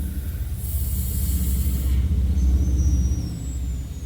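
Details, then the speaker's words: Car AC high-pressure adapter and Schrader valve being unscrewed after system discharge: short airy hiss of about a second as the fitting cracks open over a low rumble; just residual vacuum, nothing wrong. "you might hear a little little slight hiss that's just vacuum hear that that's just vacuum"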